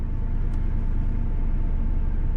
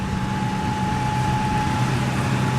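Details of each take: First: 4.6 V8 truck, first start of spring after winter sitting, battery recharged after going flat: uneven, stumbling low rumble with an unsteady beat at cold idle; rough idle, cause unconfirmed. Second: Old V8 truck's first start of spring after sitting: even, deep idle with a steady low rumble and no misses or knocks; under 2 minutes after start it already runs smoothly.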